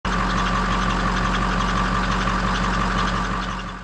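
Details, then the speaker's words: Ford 6.0 Power Stroke V8 diesel idling: steady high squeal with faint gritty grinding from the front belt drive, traced to a worn idler pulley bearing; tensioner, idlers and belt replaced. "today we have a big V8 power stroke diesel and this engine has a squeaking grinding noise coming from the front of the engine"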